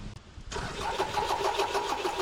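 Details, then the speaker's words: 1998 Toyota Camry after replacement of a snapped timing belt: starter cranks with an even chugging rhythm but it never starts; RPM fluctuates, suggesting a good crank sensor signal, and spark is present; crank no start. "right all right so the car is cranking I'm getting a fluctuation in the RPM so I'm assuming that we have good crank sense signal"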